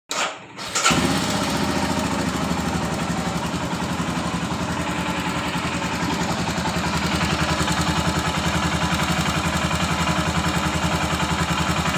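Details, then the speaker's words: Royal Enfield Himalayan single at idle, light steady ticking about three or four a second over even idle; rocker/tappet noise from loose valve clearance, to be adjusted. "तो इसका रकर का sound निकल आया है तो रकर का sound कैसे adjust करते है वो आप लोगों को मैं दिखाता हूं"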